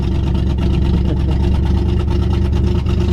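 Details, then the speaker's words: 1966 Lincoln Continental barn-find V8 heard from inside the cab while driving: deep, loud rumble with a raspy puffing edge from an exhaust leak on the driver's side of the engine, fumes entering the cab. "This thing has an exhaust leak. You can definitely hear that. Smell it. On the left-hand side or the driver's side of the engine."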